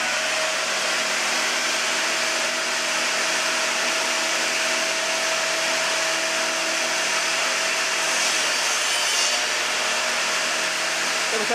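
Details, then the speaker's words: Newly assembled table saw cutting wood on its first use: steady loud hiss of the blade through wood with an even motor tone and no knocks or rattles; the saw runs normally and is quiet when cutting. "was actually quiet when you cut."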